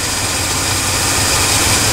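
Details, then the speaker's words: Ford wrecker V8 after an HEI distributor retrofit: smooth, even idle with a steady rumble and no stumble or miss, though slightly jumpy; running right. "that sounds pretty darn Wicked right there it sounds good A little jumpy though"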